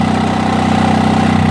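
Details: 1991 Onan 7.5 JB generator with tri-fuel carburetor, running after cleaning dirty ignition points that prevented spark: steady, even hum with no knocks or surging at about 63 Hz; running smoothly.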